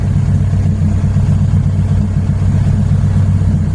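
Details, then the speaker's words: Honda K20Z3 (KRX, RBC manifold) on FuelTech, all-motor, fresh wiring fix and base timing set during preliminary test run: steady, even warm idle settling cleanly after start, no hunting or stumble; air-fuel stable, post-start enrichment looks spot on; normal warm idle. "The air fuel stayed stable. That's a really good thing. Our post start enrichment might be like [ __ ] dead on, dude."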